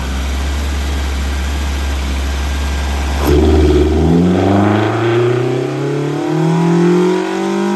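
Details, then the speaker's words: Mazda Miata (M2 car) with mystery ITB engine on the dyno, second full-throttle pull after about four degrees more timing was added back: steady idle, then a hard clean climb to high revs with no pinging or knock; same horsepower as before. "sounded good up here no pigs are in no noise"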